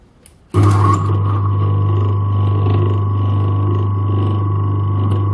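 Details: Old USA-made Century single-phase repulsion-start induction motor, 200 V rated run on 240 V, drawing about 3.27 A against a 3 A rating: clean switch-on, then a steady low hum with a faint even higher tone and no growl, rubbing or knock; healthy.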